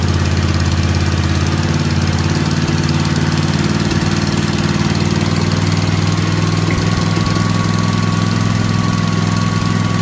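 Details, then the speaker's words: Kawasaki FR730V V-twin, just rebuilt and installed in a Cub Cadet SX60 mower, choke off, revved a little on first run: steady, even drone at raised speed, no knocks, misses or rattles; oil smoke from muffler, no leaks; normal running. "Now I'm going to rev it up a little bit, see what she sounds like."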